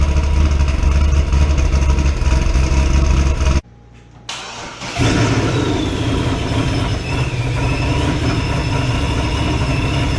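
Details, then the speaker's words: 2006 Corvette Z06 LS7 V8 with ProCharger, full exhaust, first start after cam swap and ported heads, not yet retuned: brief crank, catches cleanly, even strong idle, good oil pressure, charging, little smoke; normal start. "Right up. Good oil pressure. Charging."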